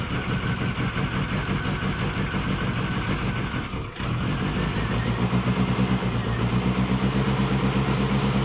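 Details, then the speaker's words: 1990 Mini ERA Turbo (262,000 miles) running after a new carb was fitted, 20W-50 oil topped up and the oil pump re-primed: steady even beat, a brief dip, then a smooth run with no knocks; sounds healthy. "right so uh i've still got the 2050 oil in it um everything seems to be okay"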